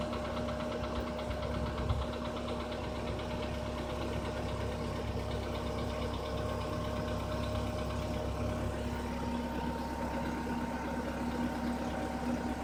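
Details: Skoda Rapid 1.6 CFNA engine idling just after start: faint, steady knocking over a low hum, about two beats a second, now louder than before; source unknown.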